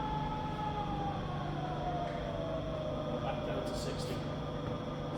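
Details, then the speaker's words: Rebuilt Bridgeport milling machine, spindle in low range reverse at 110 RPM: smooth, quiet gear hum with steady low tone and pitch falling as speed drops, no knocks or grinding; "all bob on", normal running. "you listen to that for a second. It's all bob on."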